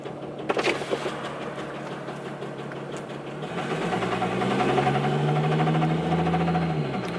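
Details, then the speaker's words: Megacab Cummins dually diesel idling: fast, uneven, random tapping of about four per second over the rumble; owner suspects a head problem (head gasket, valves) or possibly a wrist pin, cause not confirmed. "I cannot drive a truck sign like this man it's this makes it sound like a clunker it really [Music] does man that sounds so"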